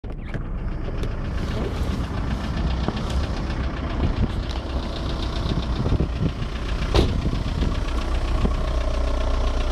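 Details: VW 1.9 TDI (ASV, 110 hp) diesel idling with a heavy irregular knock over the clatter, deep and low in the engine; traced to the bottom end, no definite cause or fix found.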